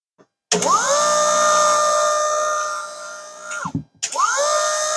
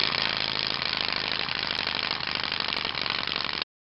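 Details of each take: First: Virtual pinball gear motor (an electric window motor) powered at 12 volts from a bench supply and drawing 1.72 amps; it spins up to a steady, even whine, stops briefly and restarts, with no grinding or clicks, normal gear motor operation. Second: 12 V virtual pinball shaker motor run from about 5 V and up without screws pressing it in its enclosure: harsh, fast buzzing rattle over the small motor's hum at a steady rate, case chattering; enclosure rattle from loose motor mount.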